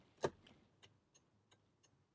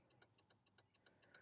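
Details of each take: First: 2005 VW Passat whose turn signals suddenly stopped working, tested after reconnecting both separated circuits: light, even flasher relay ticks at about three per second over a quiet background, cycling normally; an intermittent short blowing the fuse is suspected. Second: 2005 VW Passat turn signals during diagnosis, a bulb disconnected on each side: rapid relay ticking about seven clicks a second, hyper-flash from the missing bulb, better than before.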